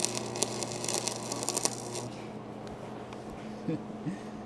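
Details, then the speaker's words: Old, cleaned-up IdealARC 250 AC stick welder striking its first arc: about two seconds of crackling, sputtering arc over a steady transformer hum, then only the hum. Normal stick welding arc. "Did you hear how smooth that sounded though once the skill of the welder >> stopped being a problem and the welder kicked in?"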